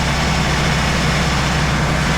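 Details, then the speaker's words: 1993 Subaru Loyale after an engine reinstall: the lifter tick heard at first start went away as the engine warmed up, leaving a steady, even low idle with a raspy exhaust and no top-end ticking; normal idle. "So we still got that lifter tick, but that should still go away once it warms up. Oh, yep, just went away."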